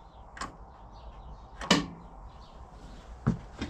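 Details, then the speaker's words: Lawn tractor with a new solenoid, fresh fuel and oil, battery reconnected, solenoid not yet mounted, key turned: only sharp single clicks with no cranking. It runs only if the two solenoid terminals are crossed; new starter gear works, cause unresolved. "I still have to cross those two terminals to get it to run otherwise it just clicks down on the starter"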